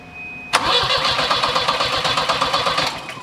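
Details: Turbo Volvo 740 with a wiring fault blowing fuses: steady cranking at about four beats a second, then the engine catches briefly; owner suspects the main fuel pump, cause not confirmed.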